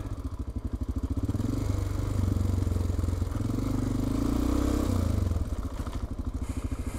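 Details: Honda Dominator 650 on a dual-sport trip in Portugal. Steady low thumping idle with a dry clatter on each beat; top-end clatter of unknown cause, rider suspects valves or camshaft.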